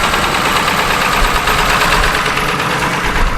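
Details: Ford 7.3 Power Stroke diesel farm truck, sat for years, first start in Minnesota winter on old fuel: loud ragged diesel clatter with uneven beats, stumbling rough idle that barely keeps running.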